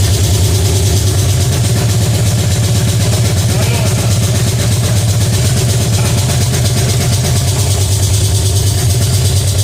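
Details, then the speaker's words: Pontiac 350 V8 in a '50 Pontiac gasser, first fire-up, timing about 8 degrees: steady, fast idle with an even low rumble that never settles; high idle because the choke is not connected. "That was on a high idle."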